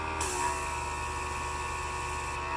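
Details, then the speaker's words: Cheap portable airbrush compressor rated 18 PSI with 0.3 mm dual-action airbrush, rattling noise from unit: thin high motor whine dips when the trigger is pulled then climbs back; can't hold pressure under air draw, causing bursts of paint. "Builds back up. That's why I was getting bursts of paint."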